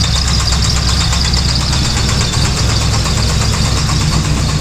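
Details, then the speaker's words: 5.3 LS V8 in a third-gen car with a new alternator and a squeaking new belt, idling with good oil pressure: a loud, heavy knock that seems to come from the crank; a suspected rod knock. "well you can hear the knocking pretty loud [Music] sounds like it's coming right from the crank"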